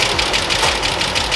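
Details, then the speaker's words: Abandoned Ford Mustang with 289 V8 after years sitting, first run, idle mixture just set: steady, even idle with regular firing pulses, no misses or knocks; running smoothly and healthy. "wow that is impressive I must have got that idle mixture perfect on first try that was pretty good"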